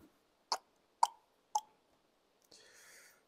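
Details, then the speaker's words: Mitsubishi Colt Ralliart 4G15 turbo head rebuild, valve just lapped, mic beside it: three crisp metallic taps about half a second apart, each ringing briefly; valve seats and seals well. "donc maintenant je viens faire un petit test au bruit normalement ça doit faire ça doit faire un petit bruit comme ça"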